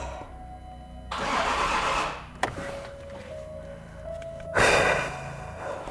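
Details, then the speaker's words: Range Rover L405 3.0L TDV6 on its first start attempt after an owner engine rebuild: starter cranks briefly in short bursts and cuts out, engine never catches. The battery has been charged repeatedly; the owner suspects the trigger wheel. Crank-and-die no-start. "And it cuts. So it cranks a little bit and it cuts."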